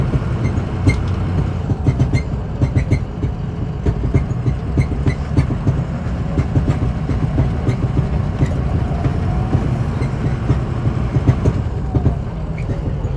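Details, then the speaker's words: 2006 Ford F-250 driven on a rough road after warm-up on a cold day: heavy road rumble with repeated sharp clunks over bumps, suspected worn cab mount bushings (not confirmed), before Energy Suspension cab bushing replacement. "Then we'll come back and get those new bushings installed, and hopefully get rid of that clunking."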